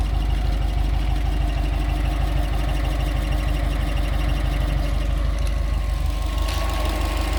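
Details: Subaru Forester 2.5 XT (SG) petrol engine at idle: a steady light tick, about three per second, running through the low rumble.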